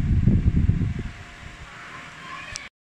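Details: Asahi dual-head stand fan after repair of switch, broken wiring and blown thermal fuse, on speed 3: gusty wind buffeting then steady even low hum, no rattle or scrape; runs smoothly.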